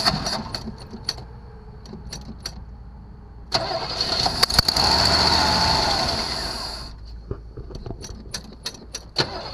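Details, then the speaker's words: 1974 Chevrolet Nova with new electronic-ignition distributor and recently replaced fuel filter and kinked line: scattered clicks, then about three seconds of cranking that never catches; crank-no-start from fuel starvation, suspected obstruction between tank and carburetor. "all right so it appears we have a fuel issue we definitely have a fuel issue"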